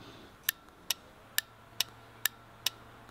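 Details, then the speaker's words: Automotive relay switched on and off by a power supply: sharp crisp clicks about twice a second; audible clicking indicates the relay is good. "now I'd be really quiet so you guys can actually hear the clicking it's very key that clicking can be actually heard through the cover so this is one of the methods of being able to test whether a relay is good"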